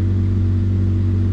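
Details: 2004 Jeep Grand Cherokee 4.0 six-cylinder after replacing a blown PCM battery fuse that caused crank-no-start; smooth, even low hum with no knocks, misses or hunting during scanning; normal idle.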